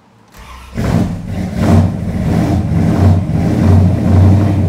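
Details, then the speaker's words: 1973 Chrysler Newport Custom 400 big-block, carbureted, first start after sitting three months of Chicago winter with the mic at the rear: lumpy, uneven, surging idle while cold, oil pressure up to 75 psi, still a little rough. "oh still a little angry it's almost there that wasn't bad"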